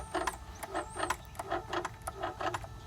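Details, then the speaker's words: Mercedes ASR/E-gas throttle control module (from 400E/E420), activation test after self-calibration: short bursts of whirring gear noise and clicks about once a second; throttle actuator moving. "You can hear it. You hear electrical, mechanical gears moving."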